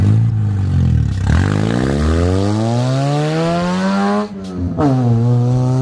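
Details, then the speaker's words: Honda CR-V driven with no catalytic converter before exhaust removal: raw, blaring exhaust climbing in pitch with each rev and dropping off sharply; obnoxiously loud because the cat is missing. "that is obnoxiously loud oh my god that is so loud so loud"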